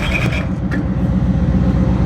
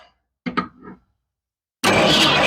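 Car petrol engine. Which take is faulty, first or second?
second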